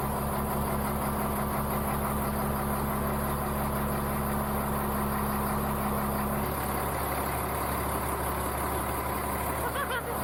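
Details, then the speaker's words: Caterpillar-swapped Ford F350 diesel, first start in a year after fuel system bled and ECM temporarily wired: deep, even diesel clatter at steady idle, no misses or knocks; healthy, no leaks. "Certified ripper. Golly. Missed the sound of that."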